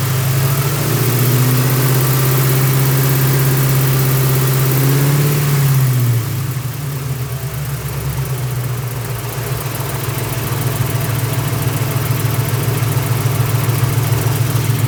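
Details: 1999 Mustang GT with a built 4.6 4V, McLeod RXT twin-disc clutch, aluminum flywheel, T-56 Magnum and Kooks long-tube headers. The whole new drivetrain has under 60 miles. At idle a fast, regular light clicking rattle rides over the rumble; owner suspects the clutch, unconfirmed.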